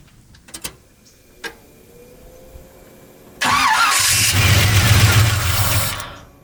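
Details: Chevy 350 truck parked three to four months: starter cranks steadily for about three seconds, catches briefly on starting fluid then dies. Cranking no-start from fuel starvation; fuel line from the sending unit later replaced.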